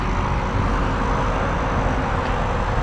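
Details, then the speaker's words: 2013 Audi A8L air suspension compressor commanded via scan tool to fill front: steady even hum and rush, no surging or rattling, raising car and filling reservoir; pump had an internal recirc-valve leak. "it's trying to fill it i thought i saw it move it's coming up holy poops so what that should do is fill the should level the car out and then it'll fill the reservoir"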